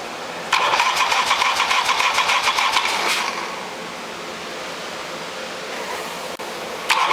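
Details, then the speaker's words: 1972 Harley XLH Sportster (homemade 1973 build) started on half enrichment after a stuck choke: fires unevenly, three to four beats a second, then drops away; runs poorly, owner believes the carburetor idle circuit is clogged. "All right. So it does run. Doesn't run very well cuz the carburetor's messed up. Um The idle circuit must be clogged in it."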